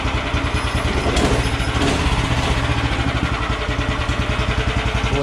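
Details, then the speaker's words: DR stump grinder small engine (16.5 ft-lb gross torque at 2600 RPM), carburetor cleaned with spray and rust-cleaned gas tank; quick, even single-cylinder beat at idle, steady with no misses, torquey and idling well: normal running. "this is a torquey little motor you can see it idles good"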